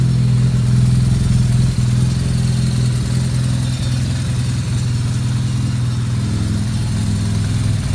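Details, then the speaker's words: 2009 BMW R1200R boxer twin after a gearbox repair for a knock and rattle: new clutch disc, new bearings, custom damper, lubricated splines. Steady, even, smooth idle with no knock. Stepper-motor calibration and sync are not yet done and are expected to make it smoother. "когда все процедур пройдут по будет еще мягче работает"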